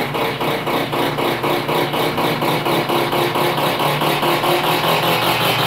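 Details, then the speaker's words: Stackable washer/dryer making a thrashing racket in spin: fast, even thumping about four beats a second. Broken spot welds on the tub support let the assembly hang sideways and vibrate. "here's the problem that's why it was vibrating and going crazy is this what spot weld broke off that spot weld and a couple more causing the whole assembly to hang a little bit sideways and vibrate"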